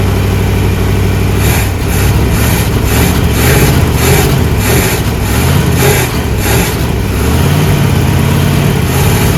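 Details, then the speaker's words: 1979 Jeep Cherokee AMC 360 V8, idling after sitting over 3 years; power steering fluid bone dry. Deep, steady idle with an even lope, no stumbling; owner calls it a smooth running 360, normal idle. "That's a smooth running little 360, guys."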